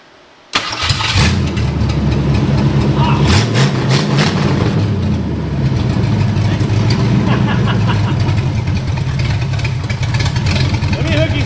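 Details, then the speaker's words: Long-stored 1972 Ford Maverick with no exhaust fitted, carb primed with fuel: cranks and catches quickly, loud slightly uneven open-exhaust idle with some popping; runs on the corrected original firing order. "well she's running the old fireing order my friend"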